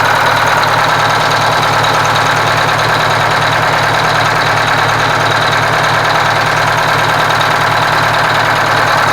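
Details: Kenworth cabover diesel after fuel pump and injector work, run with the valve cover off: steady, even idle with a firm low beat and no missing pulse. The dead cylinder seemed to pick up once it got fuel, and all cylinders sound like they now fire.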